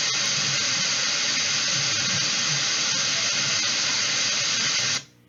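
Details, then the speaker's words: Beelink GTI mini PC (i5, 16 GB DDR4) recording through its two built-in microphones: a loud, even hiss with crackle runs throughout, then cuts off cleanly; noisy built-in mic audio, cause not yet found. "So I thought, okay, maybe I can correct it. I'll just use the two microphone microphones that are built in. And here's what I heard when I did that."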